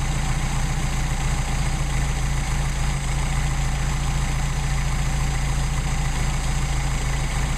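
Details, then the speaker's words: Mercedes-Benz 190SL, rebuilt Solex carbs warmed up, linkage disconnected; idle screws turned a quarter turn each, reading 7 on both, then idle backed off to 6. Steady even low idle, smooth regular beat, no misses or knocks; normal idle. "And so we still have uniformly adjusted carburetors. I don't want it idling that high, so I'm going to back it off."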